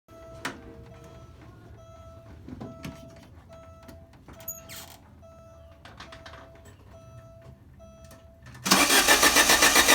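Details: Alfa Romeo Spider: quiet chime, then steady fast cranking at roughly four beats a second that never catches; crank, no start.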